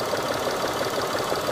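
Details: 2012 Mitsubishi Mirage Exceed automatic, used-car inspection during alternator charging check: even, quick ticking pulse at steady idle, no stumble or heavy knock; charging normal, small engine idling normally.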